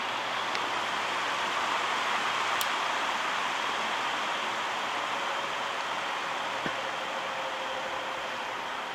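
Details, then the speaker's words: 1960s GE window fan after cleaning and oiling, running on high: steady, even, quiet rush of air with no ticking, rubbing or wobble. Motor shaft flat rounded off, but blade still tight; motor still needs compressed-air cleaning. Normal fan running on high. "And let's go up to high. It's quiet. It's moving a lot of air too."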